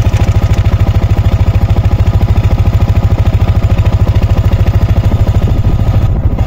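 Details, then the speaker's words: Yamaha Sniper 155 at idle after the new aftermarket manual cam chain tensioner was adjusted tighter. The single cylinder now pulses evenly with no ticking or chain slap and is quiet. Normal idle. "So ayun, tahimik na siya."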